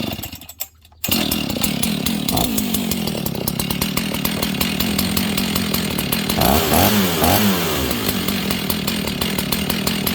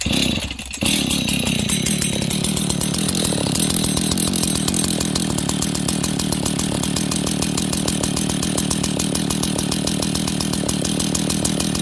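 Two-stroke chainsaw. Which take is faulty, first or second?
second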